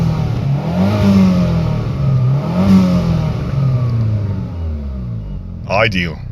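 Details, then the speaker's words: Saab 9000 CSE sleeper build, over 300 bhp, turbo, ECU remap, dump valve, small exhaust blow, bigger downpipe planned: two strong free revs then sharp airy dump-valve whoosh; healthy turbo engine. "but let's have a listen to it. It sounds good. It makes all the turbo noises. It dumps."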